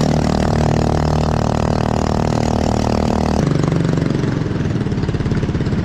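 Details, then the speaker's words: 212cc 6.5hp Honda-clone 4-stroke driving a homemade jet unit in a river: loud, slow chug at about three beats a second, bogging under load; owner unsure of cause. "yeah sounds like it's struggling well guys real loud and real slow"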